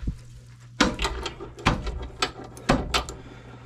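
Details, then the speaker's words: Suspension worked by hand: sharp irregular clunks about every two seconds. Control arm is fine; its bushings are shot, and the ball joints are also worn. "so this control arm is bad well the control arm is fine it needs HMS the HMS are shot"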